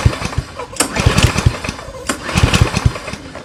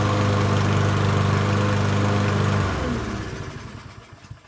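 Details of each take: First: Yardworks self-propelled mower, 173cc engine, no start: uneven rope pulls with a few low chuffs but no firing; suspected flywheel brake cable not pulling back far enough, leaving ignition coil grounded. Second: Yardworks self-propelled mower, 173cc engine, with temporarily rigged brake handle and cable; runs smooth and even for a few seconds, then shuts off cleanly; normal running.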